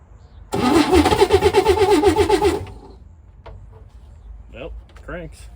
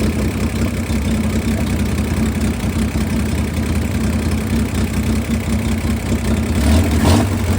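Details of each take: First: 1962 Chevy Corvair that sat for 40 years, with a newly replaced starter, being fired on carb cleaner without fuel: slow, lumpy cranking with a regular chirping pulse, not catching. There is an odd noise in the crankcase area; owner is unsure whether it is the starter or the flywheel. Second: 1962 Chevy Corvair flat-six that sat 40 years, with a rebuilt carb, gravity-fed fuel and no choke; it holds an even, steady low putter with no misses or knocks, a normal idle.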